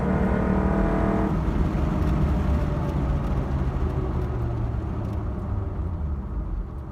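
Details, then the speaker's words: Honda K24Z3 K-series engine on drive after valve adjustment and warm-up: pulls smoothly through revs, no ticking or knock, fading under tyre and road noise; sounds healthy. "Alright guys, let's go for a little cruise. Everything's running good right now."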